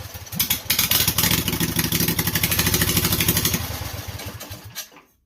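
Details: Briggs & Stratton Intek 18.5 hp V-twin, choke held, fuel poured in, cranked off a booster pack: rapid uneven popping for a few seconds, then it dies; fires on the poured fuel but won't keep running.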